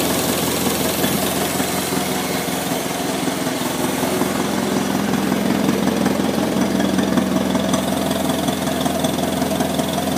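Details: 1955 McCormick Super FC-C Utility tractor, first start after rebuilding a fully seized engine, about 30 seconds after starting. Idles at an even, slow rhythm with no knocking; the slight squeak on the right side is the oil pump and filter purging air.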